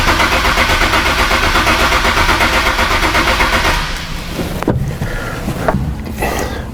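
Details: 2008 Nissan 370Z no-start with no fault codes, cranking: nearly four seconds of fast, even cranking with no firing, then stops; cranks fine but camshaft timing is out.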